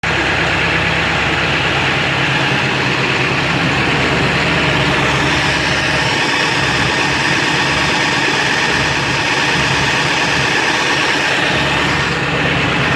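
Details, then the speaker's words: 7.3 diesel with rough idle and no power, switched from high idle to street mode: loud, uneven idle with harsh clatter that sounds like a rod knock; blue puffing smoke smells of raw diesel, EGTs good, cause unknown. "I'm gonna switch it to street. Making a totally different noise. Sound like a rod knocking."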